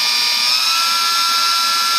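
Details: E-flite UMX P-51D BL brushless motor after a 3S battery power mod, bench throttle test at about 16-29% throttle; loud, steady high whine climbing slightly with throttle, smooth with no rattle or stutter, a normal healthy run-up.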